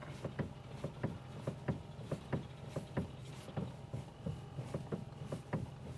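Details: Car driving, knock suspected in the steering rack, unconfirmed. Light, sharp knocks about one and a half per second over quiet road noise; front-end knock, source unconfirmed.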